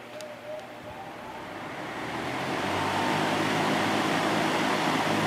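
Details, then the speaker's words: Air King PL20P vintage box fan with two-speed GE motor, final run after cleaning and oiling, grilles back on, earlier noise gone and motor running cool: smooth airy rush building then holding steady, no rattle or hum; very quiet, normal. "this fan is very quiet"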